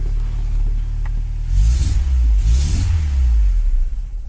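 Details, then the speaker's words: Honda Prelude H22 turbo, converted OBD2 to OBD1, with new 1000cc injectors and Hondata on a base map with wideband: two deep, boggy revs running far too rich. The injectors add a lot of fuel, so fuel must be removed from the map. "yeah so the the thousand CC injectors are definitely adding a lot of fuel"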